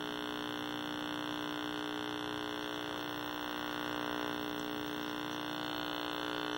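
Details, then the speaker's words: 1960s Philco S-1262bk black-and-white vacuum tube TV during servicing: a constant buzz pulsing behind the audio, believed to come from vertical amplifier coupling into the sound. Vertical buzz in audio. "so we've still got this annoying vertical buzz and the sound that appears to be entirely because of some sort of vertical amp - coupling"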